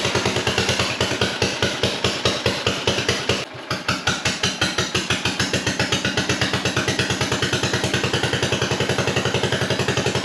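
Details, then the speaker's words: 1957 Gard'n Mast'r tractor, Briggs & Stratton series 23 9hp engine, long parked, after debris blew out of the motor and muffler: single-cylinder chuffing that nearly dies around 3.5 s, then picks up unevenly; too rich, carburetor flooding, fuel problem not fixed. "not running right but it is running sounds like it's way too rich"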